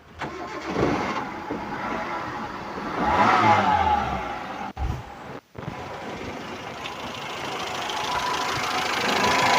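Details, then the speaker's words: 2004 Hyundai Atoz GLS, 1000 cc, engine just started; slight ordinary rasp at idle, not perfectly clean, which is normal for this engine, not a fault; valve cover gasket seeping slightly. Normal idle. "kondisi mesin sudah kita Nyalakan ini suara stasionernya Emang sekelas hyunde atos 1000 cc ini suaranya memang gak bisa bersih banget ya"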